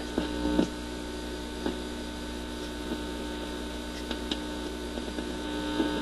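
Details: Admiral suitcase record player after installing a new replacement cartridge, amp on, wires being connected: loud steady low hum throughout with occasional sharp clicks as wires touch; mains hum, source undetermined.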